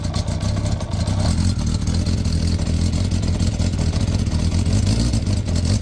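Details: Motorcycle, idling: deep rapid puffing with a loud raw chuff under the engine note; the muffler is holed and blows out inside behind the footrest.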